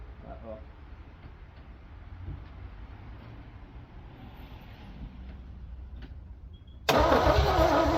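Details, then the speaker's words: 1968 Pontiac Firebird 400, first start since 1986 after cleaning and gapping the points, fuel in the carb bowl, vacuum leaks taped: steady rhythmic cranking, then it catches abruptly and roars into life; normal cranking and start. "First start since 1986. I'm actually impressed on how fast that fired up."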